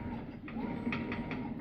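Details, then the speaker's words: Maytag MVW7230HC0 top-load washer on test station during wash cycle: sharp intermittent clicks over low motor hum during agitation; worn washer clutch, fixed by replacing the clutch. "during the wash cycle you can occasionally hear that clicking noise right there again there"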